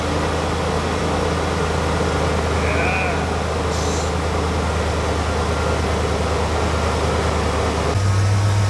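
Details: 1991 Ford F-250 5.8L 4x4 after throttle position sensor replaced (now 0.94 V, was 1.9 V): deep steady rumble at even idle, no stumbling or surging, over shop noise; sounds healthy, though smoking from manifolds and valve covers after long sitting.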